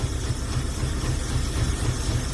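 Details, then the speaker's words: Hot-rod engine idling with a heavy, uneven, shaking lope: rough idle. It idles but won't accelerate properly, no vacuum leak found; owner suspects plugs fouled from flooding and plans to check the cap, rotor and spark. "I got it to idle but it's not accelerating properly and"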